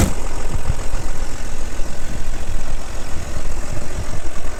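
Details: Audi allroad at idle: a loud, rough idle with a heavy low rumble and uneven pulsing; excessive engine noise, source not pinned down.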